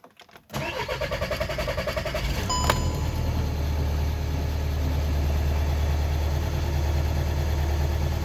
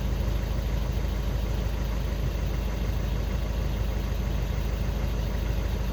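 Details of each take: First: Skoda Octavia 2 diesel with hard start and glow plug light; cranks about two seconds before catching, then steady idle, hard start traced to a faulty G28 crankshaft position sensor. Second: Skoda Octavia 2 diesel after crankshaft sensor (G28) replacement and fault clearing, cured of no-start/hard-start with glow plug light: smooth, low diesel idle in an even rhythm, no stumbling or surging; steady, healthy normal idle.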